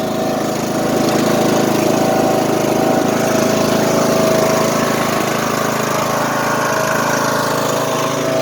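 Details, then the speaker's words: Neglected riding lawn mower, over ten years old, that smokes badly: the engine runs fast with an uneven, stumbling beat. The owner attributes the misfire to lack of oil. "if you listen you can hear a misfiring that's from lack of oil"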